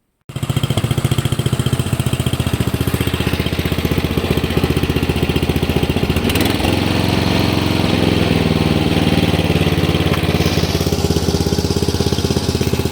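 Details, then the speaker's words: Hayter Heritage tractor ride-on mower, free non-runner stored unused in a shed for eight years, fired up after checking oil and spark plug; single-cylinder engine catches at once and settles into a steady, even beat with no misfires or knocks; runs healthy. "so this is fantastic absolutely fantastic"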